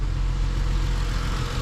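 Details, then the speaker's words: Vehicle idling smoothly with an even low rumble, no misses, ticks or knocks; starter suspected sticking with hesitant starts, heater core suspected leaking; healthy normal idle. "yeah it sounds sounds good let me go give them the keys and everything and then head out to the next spot"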